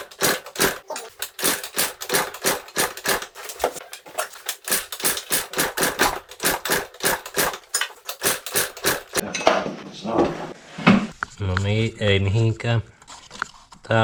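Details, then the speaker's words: CPI Aragon scooter, first start attempt after repairs and fresh fuel: sharp even clacks about two or three a second while cranking, never catching; the flywheel hits the trigger coil because it was mounted wrong. "hits the flywheel hits the trigger coil I mounted it wrong"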